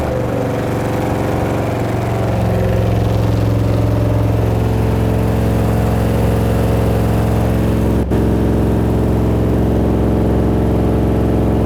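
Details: 375 hp Mazda RX-7 with camshaft and upgraded heads, just started before ignition advance tuning: a loud, lumpy, uneven low drone held up on a bit of throttle; it can't idle on its own.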